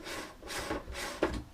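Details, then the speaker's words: Pioneer CDJ-350 jog wheel turned by hand, giving dry, scratchy rubbing strokes with small clicks, from dried-out lubrication on the platter pads; this is the second, less severe unit, recorded before repair. "can hear it there's sort of a bit more Scratchy so to speak"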